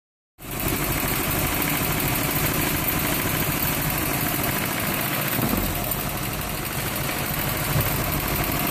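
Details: Nissan 240SX with KA24E four-cylinder at idle: uneven, lumpy beat around three pulses a second with slight surging; rough idle, cause not evident.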